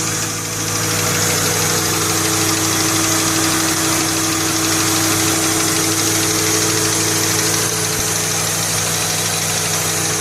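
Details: Ford Mustang idling: light, fairly regular knock ticking about three times a second beneath the engine hum, not really loud; owner unsure of cause.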